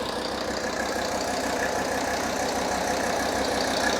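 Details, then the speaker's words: Mercedes-Benz S123 300TD diesel with 720,000 km, just started, not fully cold at about 40 degrees: even clatter at a steady idle with no knocks or misses, oil pressure three bar at idle; healthy idle. "it's three bars right now at idle that's nice"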